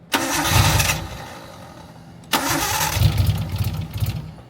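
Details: Nissan 240SX with an RB engine swap, rescued from a bad shop: two bursts of fast, uneven cranking that never catch; a crank-no-start, with the cam angle sensor and coil pack power supply being checked.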